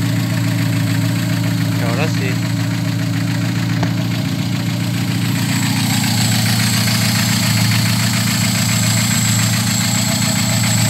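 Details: VW G1 carburetted AP engine, after fixing low fuel pressure: steady, even idle with a smooth low hum and no misses; fuel pressure much better than before.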